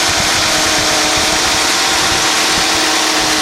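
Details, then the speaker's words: 1991 Mercedes-Benz 420 SEL warm, fan clutch disengaging: fast steady idle at about 1000 RPM instead of about 650 under fan roar; high idle, owner thought idle air control valve but now suspects computer. "And you can hear that engine idling way too high. Let's see what it's running at. Yeah, about 1000 RPM, should be around 650."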